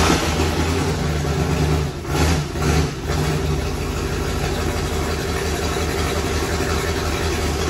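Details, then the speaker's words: Turbocharged burnout car V8 project, first start of an engine of unknown condition, in the rain: it settles into a steady, even burble with no knocks or ticks and barely smokes; sounds healthy. "it's raining that sounds healthy here it sounds really good and it didn't even really smoke"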